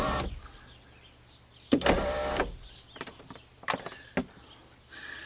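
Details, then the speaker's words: 2004 GMC Envoy XUV power roof with a temporary alligator-clip ground on a module pin: relay clicks and thumps, then a short, even motor hum as the roof moves; the motor sounds healthy. "the roof actually moves so let's leave this ground connected and run this uh roof whatever calibration test here"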